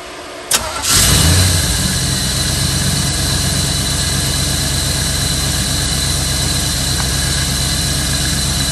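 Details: 1992 Chevy Camaro Z28 V8 after installing new distributor cap, rotor, ignition coil and ignition module, battery reconnected: cranks, fires within a second and settles into an even, steady idle with no misses or stumbles; running normally.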